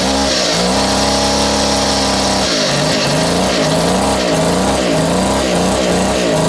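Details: Vintage Echo two-stroke strimmer on its first run after reassembly: loud buzz whose pitch hunts up and down about twice a second. Owner suspects the carb; low compression.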